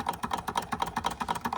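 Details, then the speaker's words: Restored George Carette 143 hot air (Stirling) engine on a wick flame, first test run after oiling and scraping off stiff grease, finned cool end: light even clicking about seven per second, no stumbles; runs sweetly. "And it's got the fins to try and keep that part cool, which allow it to run longer. Because if this part warms up, it will stop running."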